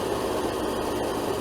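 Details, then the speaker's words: RV window air conditioner on max cool running on solar power (battery around 13.1 V): smooth, even airy fan rush with no knock or hum. Normal fan running, compressor not yet kicked on. "I don't hear it running I just hear the fan glowing it's on Max cool high cool okay so it should kick on the compressor any minute now"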